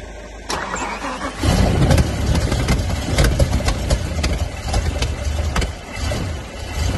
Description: BMW M5 E 60 won’t start or run properly after engine rebuild was done smoking splattering misfiring but not starting up.